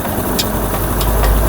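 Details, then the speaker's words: Honda CD70 motorcycle after a gearbox repair for first-gear clatter and third-gear grinding caused by broken gears: in gear under clutch and brake load there is an even, steady engine drone with no knocking, grinding or whine, so the gearbox operates normally. "पहले तो ये देखें कि engine जो है बहुत smooth है हमारा। बिल्कुल आवाज साफ सुथरी है।"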